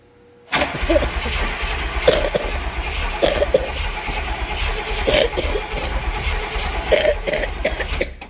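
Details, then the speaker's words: Barn-find Cadillac 7-litre V8, unstarted 30+ years, cold, throttle linkage moving: steady starter churn with the odd uneven puff, never catching, heavy smell and smoke. Crank no start; owner suspects no spark. "It's like a beat. smells horrible. I don't think we're getting any spark."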